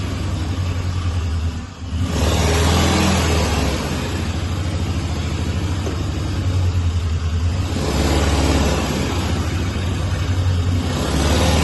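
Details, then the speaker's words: 1998 Citroën Saxo limited edition, long laid up, first running after a battery change with no smoke: a smooth, even engine run with a steady low hum and no knocks, misses or rattles. It drives, the gearbox feels good and the engine sounds sweet. "now the thing is well it drives the gearbox feels good uh the engine sounds sweet"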